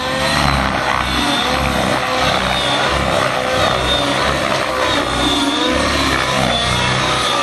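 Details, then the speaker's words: Nitro RC helicopter in flight as the fuel tank gets low and the fuel foams while the helicopter is shaken around: a high screaming note holds a steady pitch, then starts to thin out as the tune fades. Lean running from fuel foaming. "Now about the time is when you can get confused and go, well, what happened? The tune just kind of sort of went away. Yeah, the tank's getting low, right?"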